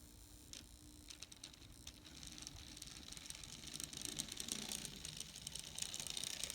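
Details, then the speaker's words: N scale Atlas/Rivarossi 2-8-2 Mikado, old non-runner, test at low power, tried in both directions: quiet, light whirr of small gears with soft, fairly even ticking, no binding or stalling; runs smoothly. "actually it's a fantastic Runner that was a let me find if anything and try the other direction"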